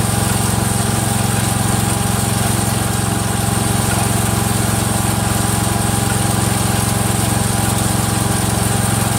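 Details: Freshly rebuilt Kohler single-cylinder engine in a Cub Cadet 102, steady thump with a light regular click about twice a second from the front pulley coming apart, not the rod.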